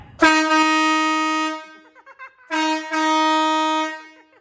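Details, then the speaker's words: Newly fitted horn on the Swamp Thing monster truck, not yet fully mounted, engine off: two loud, clean, bright blasts of about 1.5 seconds each; horn works, though it is partly drowned out once the engine runs. "It's pretty loud, but once the engine's running, it kind of cancels it out a bit."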